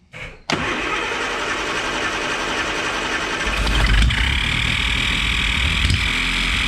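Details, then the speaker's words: 1967 Triumph GT6 started without choke: rough idle with a steady high-pitched scream that sharpens after a few seconds; owner first suspected the starter, now thinks the noise comes from the carburetors, probably the front one, as the sound changes with throttle position. "I don't know what that noise is. I don't know. That's odd. It sounds like it almost sounds like it's sucking air from somewhere."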